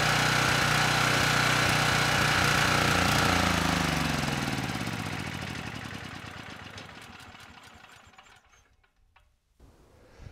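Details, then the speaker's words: Ridgid 5700 W generator (RD905712) with Yamaha MZ300 engine, 1500 hours, salvaged from the dump, started first pull: even single-cylinder beat, no knocks or misses, winds down smoothly; engine and power head healthy. "for something that was thrown away and has 1500 hours on it this thing's doing pretty good it started first pull engine sounds good and the power head seems to be doing a good job as well"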